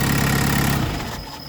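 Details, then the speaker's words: Even diesel beat with turbo hiss fading at shutdown on a tuned Peugeot 205 Turbo Diesel with Bosch injection pump, lightened 4.5 kg flywheel and performance clutch kit; fuel solenoid very hot; smooth, healthy running. "On entend le turbo et on entend la pompe la buche 0,44 qui est là qui nourrit la bête."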